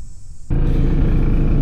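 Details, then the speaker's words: Airstream trailer rooftop air conditioner, which worked fine before, switched on in hot weather: heavy low rumbling drone with a coarse buzzing rattle; a loud vibration on the rooftop unit, not running correctly. "You hear that vibrating noise? We're running the AC and obviously it's not running correctly."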